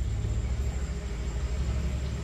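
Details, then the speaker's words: Front-loading washing machine that wouldn't turn its drum, on drain: steady low hum and rumble, no knocking or scraping; it drains water and begins spinning to dry, running normally. "Oke ini kita drain Oke drain drain itu putar cepat kak ya Ha benar dikeringin dikeringin putar cepat kan Nah ini dia buang air airnya dikuras sambil di ya ini seolah-olah Ngeringin airnya itu sudah berkurang"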